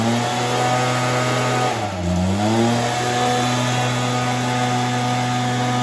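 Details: Stihl BR430 two-stroke blower, sat unused for an unknown time, started on choke: steady buzz that sags and recovers near two seconds, hunting as if it still wants choke; rough running.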